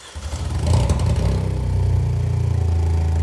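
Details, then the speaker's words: Vauxhall Corsa with replacement engine, first start after building oil pressure and reconnecting the coils: catches, revs briefly, settles into a deep even run; sounds sweet apart from loud boomy big-bore exhaust, flexi section blowing. "Nice. Sounds alright, that, doesn't it? Apart from the big bore exhaust. Yeah. So it sounds sweet there, that."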